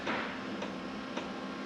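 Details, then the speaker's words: Diesel heater being installed in a camper van, pump hung underneath on cable ties, first start without priming: soft, even ticks just under twice a second over quiet fan background; dosing pump ticking normally. "only just about hear it ticking and by the time I put another floor in here plus the bed it should be absolutely silent"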